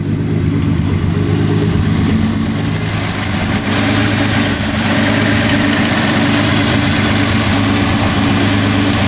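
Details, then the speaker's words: Turbo Datsun 280Z at steady idle with 720 injectors fitted, loud fast ticking rattle from the fuel injectors over the idle. "Have the 720s in there, you can hear the injectors just rattling like crazy, and those RCs, man, are so quiet."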